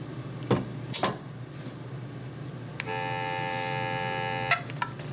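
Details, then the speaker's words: EMS ADA-compliant elevator emergency phone connected to a VoIP PBX system, call button pressed: a few clicks, then a harsh, raspy buzzy call tone about two seconds long. The phone's own speaker is suspected faulty, and swapping it is planned. "Tell there's definitely something wrong with the speaker."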